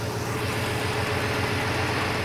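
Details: Classic V8 at a steady idle with an even low pulse and no misses or surging, after the distributor was adjusted and the vacuum advance set up; timing about 20–24 degrees; idle sounds settled and healthy.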